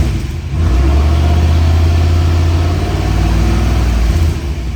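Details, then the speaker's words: 1965 Sunbeam Tiger, 289 V8, odometer 39,026 miles (title says actual, unverified): revs blip up from idle and settle back smoothly with an even exhaust beat, oil pressure rising with rpm; normal revving. "Tachometer works. See the oil gauge rise with the RPMs."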